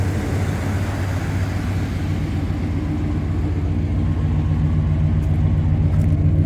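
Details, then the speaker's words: TBI engine with 240,000 miles and new head gaskets, intake and exhaust gaskets and a rebuilt throttle body, fitted with a small exhaust: a steady, even low idle rumble with no knocks, misses or ticks. Owner notes an occasional knock right after start-up and suspects the starter. "it does have this little exhaust on it it doesn't sound bad but"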